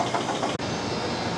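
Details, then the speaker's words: Stoelting U431i2 soft-serve machine after barrel replacement and recharge, started once a loose contactor wire was reconnected: steady even motor and compressor hum after one brief dropout, no knocks; normal running. "So, we got that on and now it's running."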